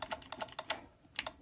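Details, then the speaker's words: Thrift-shop electric scooter powered via jumper leads. Quick light clicks, about nine in under two seconds, no motor hum: relay clicks on but no power reaches the motor, or motor burnt out; not yet confirmed. "You can hear a relay kicking on in there. But it doesn't seem to be getting any power to the motor, or the motor's burn out, so we'll have to investigate from there."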